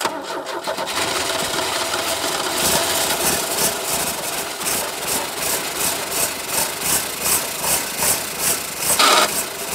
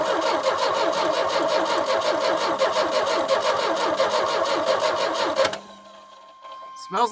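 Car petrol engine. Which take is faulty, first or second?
second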